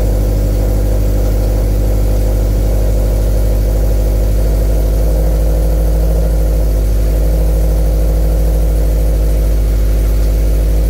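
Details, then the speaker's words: 2013 Scion FR-S after swapping in a used engine to replace one with a rod knock, idling while coolant is topped off. Steady, even idle with no knocking, ticking or rattles. Normal idle, no weird noises. "sounds good we're just topping off the coolant now no weird noises so far"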